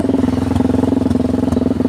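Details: Motorcycle riding at steady speed: a harsh, loud exhaust beat of about twenty pulses a second. The muffler end piece has come loose because its hanger or mount detached; the rider tried pushing it back, then removed it.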